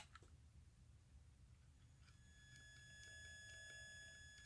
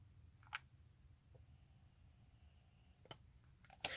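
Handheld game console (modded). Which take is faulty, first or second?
first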